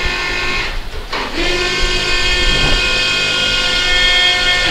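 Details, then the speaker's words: Rascal 600T three-wheel mobility scooter, heavy-duty seat lift lowering the seat, recorded in a closed room: loud steady electric whine at an even pitch for about four seconds, normal lift-motor noise. "I said that noise may be loud because we're in a closed room but that's the normal noise because that's a heavy-duty seat flip it's not a cheap seat lift"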